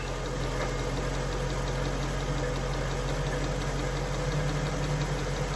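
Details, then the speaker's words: Jaguar XK8 V8 at idle, heard under the transmission with auxiliary belt refitted: faint, quick metallic rattle; source unconfirmed. "I mean, the noise was nowhere near as bad as it is when the belt is on and the AC is turned on."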